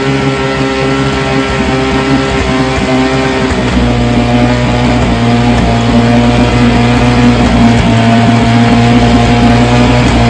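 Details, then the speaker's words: Vintage 3 hp two-stroke outboard buzzing along with an uneven beat, one side's spark dropping in and out now and then; intermittent misfire, owner suspects dirty ignition points (factory film) and plans to clean them. "So, I don't know if you could tell, but it's got a little bit of mist to it. It's like one of the spark one side is jumping in and out."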